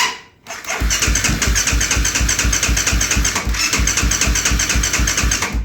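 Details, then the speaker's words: 2008 Kawasaki KFX450R cranking with the clutch held, with a few strong catches that nearly fire but no run. It has a new starter, relays, solenoid, harness and injector, timing and valves in spec, and it runs on starting fluid. Owner suspects weak fuel pump pressure. "That's actually the most action I've seen since I've started doing this quad."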